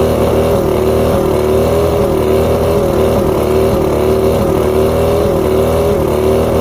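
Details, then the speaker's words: Outboard at idle running unevenly with a stumbling beat and occasional dropouts. Coil output voltages were about 250 except coil 4. Bottom switch box feeds even coils. Coil 4 tested good, so the misfire is traced to a faulty switch box. "So all of them are around 250 except for coil number 4. So that begs the question, is it the coil or is it the switch box?"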